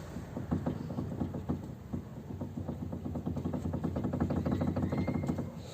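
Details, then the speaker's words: VW Passat B3 front suspension, car lifted and wheel rocked by hand; quick light knocks about three per second from a completely worn tie rod end, customer complained of suspension knock; end replaced. "вот человек жаловался что опять идет какой-то шум стук с подвески"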